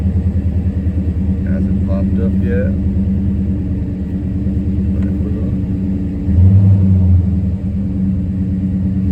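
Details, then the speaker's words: 2014 Dodge Charger SRT8 6.4L Hemi V8, 72,000 miles, idling with P0300/P0303: uneven stumbling beat with missing pulse; misfire stayed on cylinder 3 after coil swap to cylinder 5, injector swap next. "as you guys can see the misfire stayed on number three"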